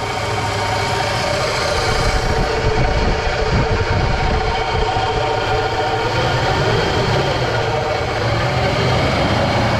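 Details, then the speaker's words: 2000 Toyota Tacoma XtraCab 4x4 after sitting 8 years in a barn, idling: engine itself healthy, rough gritty grinding underneath from a worn bearing. Bearing grinding at idle. "But there's definitely a bearing making a noise. Can you hear that grinding noise?"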